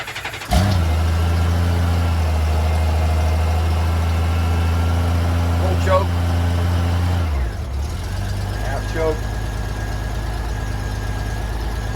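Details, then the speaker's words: 1994 Honda GL1500 Goldwing Aspencade after aftermarket fuel pump replacement, cold start day after first start, about 70°F afternoon, choke on: catches immediately, smooth fast idle dropping to lower even idle; clean cold start, start switch slightly sticky. "all right cold start day two uh about 70 degrees outside but this is afternoon the day after the first start"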